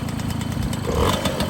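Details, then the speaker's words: Restored MBK 51 Club moped, first start on a brand-new engine, not yet tuned: small two-stroke burbles at a quick, slightly uneven idle with crisp exhaust pop; runs freely, no odd noises, sounds healthy. "Premier démarrage, avec le petit feu, tout fonctionne, nickel. Plus de bruit, plus rien."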